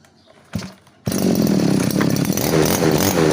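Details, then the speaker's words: Small two-stroke grass trimmer after fixing a stuck carburettor float needle from long storage: pull start catches, then it idles steadily and revs smoothly. "เครื่องเดินเบานิ่งอยู่นะครับเร่งได้อยู่นะครับ"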